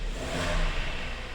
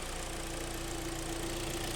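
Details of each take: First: 2012 Hyundai ix35, G4KD petrol engine, front-wheel drive, 130,000 km, warming up: metallic ringing rattle over the low rumble, rising when throttle is applied and released; piston slap from scuffed cylinders, engine due for overhaul. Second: 2012 Hyundai ix35, G4KD engine, front-wheel drive, ~130,000 km, after engine rebuild for knocking and scoring (oil cooling jets added), warming to fan switch-on: low, even idle with steady hum, no knock or tick; seems to run very well.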